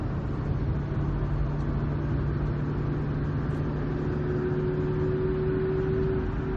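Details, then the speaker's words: Ford with about 85,000 miles, driving around 50 mph: steady low howl under power switching to a higher whine on throttle lift-off, back and forth, from worn ring and pinion gears on the drive side. "so we have we're on the drive side of the opinion on their the ring and pinion it's just worn out by now our 85,000 miles it's due here's a better sound bite of that noise"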